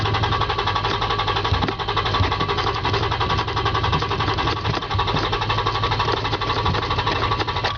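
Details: Toyota Tacoma, fuel-injected: long, even cranking at roughly four turns a second with no clean catch; engine slow to start, extended cranking, cause unclear.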